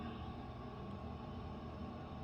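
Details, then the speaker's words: Condo building elevator heard from inside a living room, running from early morning past midnight and shaking that side of the building: steady loud low drone with a constant hum; loud elevator running noise, cause unknown. "it's loud enough to try to do video conferencing and on a zoom meeting and it people on the other end complain about the loudness of it"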